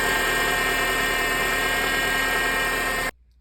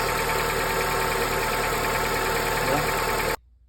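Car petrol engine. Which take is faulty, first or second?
first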